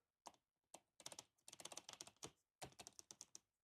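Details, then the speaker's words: Toyota Tundra driver's door with the window open: light, dry clicking rattle bursts from the window seal loose in its track, to be fixed with peel-and-stick felt on the inside of the metal track. "you can hear that rattle. And it's just the seal. There's a lot of extra room right there."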